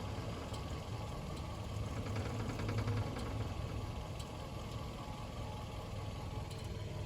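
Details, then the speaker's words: 2010 Kia Forte EX at steady idle: loose, tinny buzzing rattle under the car from an exhaust heat shield broken off its rusted mounts just under the gas tank; fixed by cutting the shield off. "Hey guys, the noise that you heard is all coming from under my car is from one of my heat shields."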